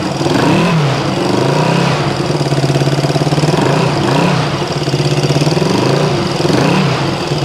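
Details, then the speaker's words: 1974 Honda CB360 first start after revival: idle hunting up and down with sharp, puffing, snapping crackle; big exhaust leak, engine also smoking, assumed from oil and gas. "all right we can can bet on an exhaust leak already sounds like she's snapping up here"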